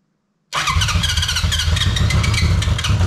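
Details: 1983 Honda CB750, first start after at least 10 years stored: fires at once and settles into a lumpy, slightly uneven four-cylinder run; starts cleanly after long storage.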